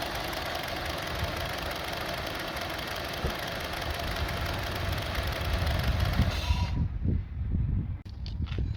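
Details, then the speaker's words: 2002 Honda CR-V 2.4L with the unplugged sensor reconnected: a loud, uneven, shaking idle with irregular throbbing that wanders in speed, then the engine shuts off; cause of the rough idle not yet found. "I'm just gonna put it back. Let's see. See, let's put it back. See now, engine is shaking."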